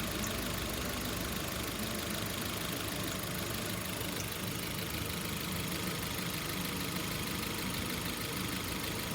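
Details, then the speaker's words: Hyundai HB20 petrol engine idling with a rough, uneven rattling flutter from the accessory belt, fading as it warms up; weak tensioner has lost internal spring pressure, so belt and tensioner need replacing. "Nesse caso, vai ter que trocar a correia e trocar aquele esticador lá, o tensionador. Um tempo ele vai perdendo a pressão, ele vai ficando muito móvel, ó, ele não consegue esticar a correia completamente."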